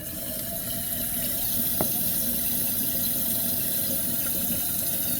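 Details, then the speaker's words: Toilet tank refilling at full flow after replacing the refill valve, supply valve fully open. A strong steady water rush, normal, with slight water hammer remaining; owner may adjust the PRV. "So, still a bit of water hammer. I might have to just tweak my PRV just a little bit, but definitely more uh controlled than what it was before."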